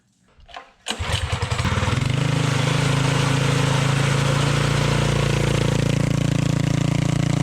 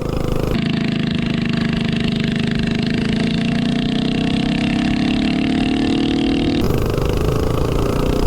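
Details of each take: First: Tillotson 212-powered Rascal Lite mini bike with GoPowerSports mechanical fuel injection carburetor, performance cam, test pipe, wideband O2 tuning: engine catches into steady deep, lazy, soft-edged idle; running richer than last time, owner richening a quarter turn left. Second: Tillotson 212-powered Rascal Lite mini bike with mechanical fuel injection carburetor, 252 cam and header pipe: single-cylinder note rises and falls cleanly with throttle, steady with no misses or pops, deeper sound with the 252 cam; healthy running.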